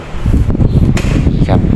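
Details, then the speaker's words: Hatari electric fan after repair: the bearing was fine and the degraded capacitor was replaced with a 1.5 µF one. Before, speed 1 did not spin; now speed 1 blows as strongly as speed 3 used to. Steady whoosh, even motor hum, no rattle; normal. "นี่ครับเริ่มหมุนแล้วครับนี่หมุนแรงเลยครับเบอร์1นะครับเมื่อกี้เบอร์1เท่ากับเบอร์3นะตัวนี้เบอร์1แรงเท่ากับเบอร์3ครับ"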